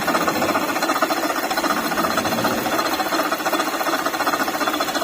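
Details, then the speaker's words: Latest-model Maruti Ertiga engine running with AC off: a dry, rattling chatter from a worn water pump bearing, confirmed by checking with the belt removed. "अभी जो की हमने check किया था गाड़ी के अंदर वो वाटर पंप आवाज़ कर रहा था"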